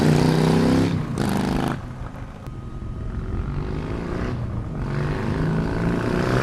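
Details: 2014-up Harley-Davidson Sportster after Stage 1 kit install and Power Vision tune: deep loping V-twin idle rising cleanly through a couple of blips and dropping back steadily; normal healthy start and revving.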